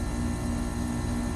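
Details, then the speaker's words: New 2-ton ACiQ Extreme+ side-discharge inverter heat pump replacing a 21-year-old Trane R22 system, ramping up in cooling mode at 1,020 watts, just over 4 amps, 250.4 V, heard from 6 feet: smooth, quiet, steady hum, no rattles or grinding. Finding: normal running. "like we're at 1,020 watts, a little over 4 amps of power, running in cooling mode. Now, I am still 6 feet away, right? You don't hear that."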